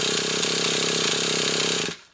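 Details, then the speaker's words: Traxxas T-Maxx 3.3 nitro RC truck started after replacing the clutch and fixing the slipping one-way bearing, fuel filter fitted: engine fires at once and screams at a high steady buzz; one-way bearing catching, not slipping, normal start and run. "the one-way bearing, not slipping. You can hear it's catching."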